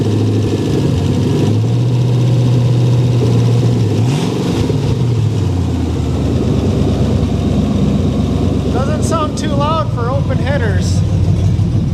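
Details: Ranger's freshly rebuilt engine idling through open headers about 10 minutes after first start, oil pressure over 75 psi: deep, loud, steady rumble with even beat, no knocks or misses; owner unsure whether slight lifter noise is present.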